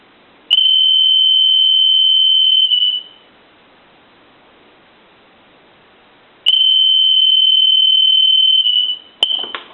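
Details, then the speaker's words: Stone piano telephone after repair with redesigned piezo buzzer ring cycle, switched to softer setting: loud steady high-pitched buzz in two-second bursts with silent gaps; ringer working properly. "I going to go ahead and do it while it's ringing go to an even softer ring cycle I'll let that go one more time"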